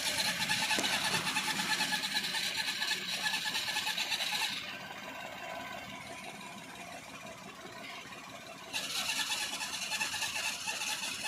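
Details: Maruti Suzuki Alto K10 idling: harsh high whirring squeal that comes and goes, abnormal clutch release bearing noise.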